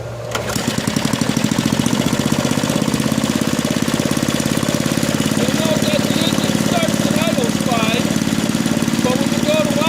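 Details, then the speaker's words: Small single-cylinder lab engine after governor was deliberately misadjusted (loosened and randomly retightened): races up and holds a high, hard, fast-firing drone well above maximum engine speed; governor has lost control, overspeed. "you'll notice that when we go to uh bring it up to full speed it goes well above what it should for a maximum engine speed that's because the governor no longer has control over the engine"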